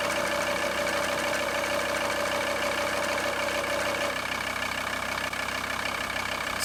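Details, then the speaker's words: VW T4 2.5 TDI van idling: light ticking knock and steady ringing tone fading after a few seconds from the failing power steering pump, coming and going, belt visibly vibrating; before pump replacement. "that's the sound it's been making, and it comes and goes, but you can also visually see on the belt where it was vibrating quite badly."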